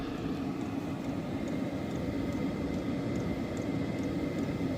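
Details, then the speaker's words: Hcalory diesel heater on a 15°F day, ramped to highest setting six: even, steady rushing roar with low hum, fuel pump nearly silent, no knocks or surges; normal operation at maximum. "this is the station SE you hear it it's it's it's insanely quiet"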